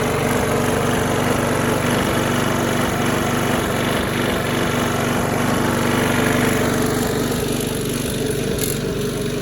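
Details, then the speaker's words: Trash-find Craftsman single-cylinder mower after a spring adjustment: it runs at a steady speed with a rhythmic wobble and shake under the exhaust beat. Something sounds out of balance; the flywheel is suspected. "what you guys listen to it it sounds like something's out of balance possibly a flywheel"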